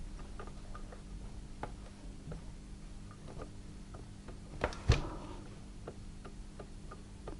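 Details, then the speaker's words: Chaika (Podolsk) sewing machine connecting rod rocked up and down by hand: faint rapid clicks. Play at the upper rod head means wear, the cause of the machine's knocking and skipped zig-zag stitches. "о чем это говорит о том что верхней головки шатуна присутствует выработка"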